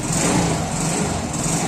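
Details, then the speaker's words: Zanella 110 cc Cub motorcycle just fitted with a new Helux carburetor, started without choke, still cold: even idle with no misses, surging or knocks; runs better than with old worn carburetor. "Pero la verdad que se siente impecable, mucho mejor incluso a como estaba esta moto anteriormente."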